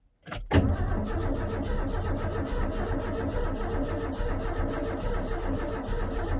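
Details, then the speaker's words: Forgotten 1984 Ford F-150 being turned over: the starter cranks with an even, rhythmic chug but it never fires. No spark is suspected, possibly from a hot wire that isn't working, unconfirmed. "he just said it might not be getting spark which was the main problem so the hot wire might not be working or not who knows"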